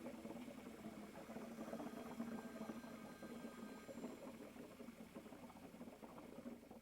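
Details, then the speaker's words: Advantage car lift after installation, lift lowered past bottom lock: quiet irregular gurgling and bubbling as air bleeds out of the hydraulic cylinder back into the power unit reservoir tank. "And you might be able to hear or see the air is now bubbling back into this tank, letting me know that I am bleeding all the air out of the cylinder."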